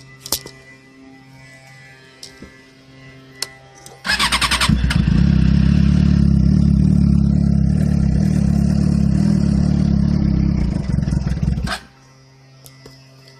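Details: 2007 Suzuki GSX-R (K6) after sitting cold overnight: turns over fine, then fires into an uneven, lumpy run for several seconds and dies, never reaching a normal fast idle; exhaust smells very rich. Cause unknown, shop found nothing.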